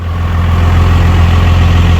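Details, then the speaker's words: Cold start of a Cummins 5.9 diesel at 12°F (coolant 14°F), two-battery system, anti-gel fuel, no block heater or grid heater, no throttle; cranked about 8 times with a jump, now a deep, steady rumble with no misfire: normal cold idle. "All right, well, we got her going, man. Took a little jump."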